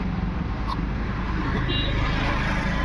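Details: MG Hector diesel, heard from outside after fuel pump assembly replaced (second-hand original) to cure crank-no-start from no fuel delivery: even clatter at steady idle, no misfire, hunting or stalling; runs normally.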